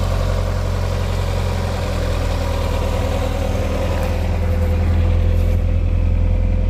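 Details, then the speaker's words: 1989 Chevy S10 pickup, 2.5 four-cylinder, just revived, air cleaner off: low, even idle with steady hum, no knocks or misses; idling smoothly and healthy. "pretty quiet, you know, little four-cylinder 2.5. Little bit of motor noise."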